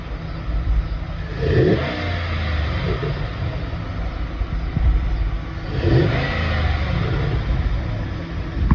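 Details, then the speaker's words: 2010-18 Ram 1500 after installing a K&N 63 series cold air intake: two deep revs with a throaty intake rumble and a rush of incoming air, no knocks or rattles; normal revving. "So as you can see, it has a little bit of a rumble to it. You can definitely hear the air coming in."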